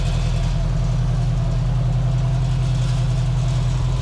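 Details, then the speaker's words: Frankenbuggy Volkswagen ABA engine with its rebuilt cylinder head reinstalled, after further tuning and warm enough for the fans to run; steady, even idle with no misses, knocks or hunting, returning cleanly to idle. "Well, guys, looks like old Bobby worked his magic and got this thing running. Got warm enough for them fans to be blowing."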